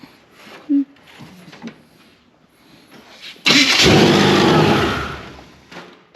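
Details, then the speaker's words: Supercharged Chevrolet C10 after vacuum leak, timing and starter problems: a few quiet seconds, then the engine catches with a sudden harsh roar and settles. Starter works, but it starts violently for unknown reasons. "That starter works. That scared the hell out of me. Yeah. It sounds good."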